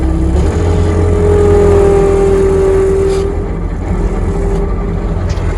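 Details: Bobcat diesel pulling forward under load after fixing slipping hydraulic pump drive, Alaska off-grid homestead in extreme cold: loud, steady pull with clean rising tone, no squeal or slip; belt drive working normally.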